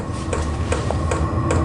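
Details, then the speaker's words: Vevor portable diesel heater on low setting as it begins to crank up during startup: sharp regular fuel-pump ticks about every 0.4 seconds over a steady fan whir, with no hot air yet. This is normal startup. "now it's starting to crank up here it goes it's just starting to go now"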